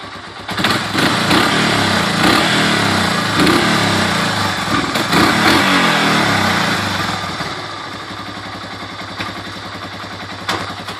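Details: Restored basket-case 1985 Honda 250SX ATC three-wheeler, first kick-start attempt: engine catches and settles into even, steady idle firing about three to four times a second, no knocks; normal running engine.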